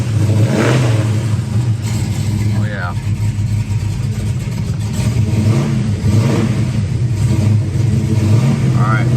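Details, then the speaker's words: Cold 1966 Mustang GT fastback V8 with a little cam, on its original Ford exhaust: a deep burble rising and falling with throttle blips, clean and eager; the engine is healthy and normal. "got a little cam he likes to Rev so it's cold at the moment but it'll warm up and run real nice to that exhaust"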